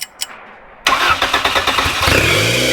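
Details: 1994 Honda Civic EX with newly rebuilt engine, restarted via jumper wire before first drive in about 2 years: short crank, catches at once and runs steady and even; clean start, though coolant reservoir is not holding pressure.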